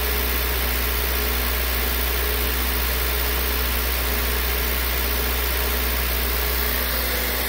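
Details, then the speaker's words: 2003 Honda CR-V K24 with code P1279 after cleaning debris from the VTEC solenoid screen, at 2,000 rpm as oil warms, oil pressure steady near 60 PSI: even engine note with no tapping or surging; solenoid believed to be the problem. "so I think the solenoid was definitely the problem cuz before it would have been dropping off by now already really"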